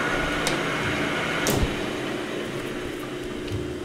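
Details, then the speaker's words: Lathe turning O1 tool steel boring bar stock with a new insert: even cutting note with a faint steady whine, no chatter or squeal; the tool cuts cleanly and lands right on dimension. "really happy with how the tool is cutting and perfect look at that right on the money"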